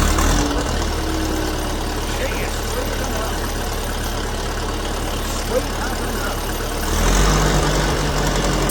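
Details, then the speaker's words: Old grey Ferguson tractor, first start after years sitting in a field, on choke: steady low thump about 220 a minute, even idle without misses or knocks; some smoke and an oil leak noted. "yeah all oh yeah isn't she running and don't she run like a Swiss watch"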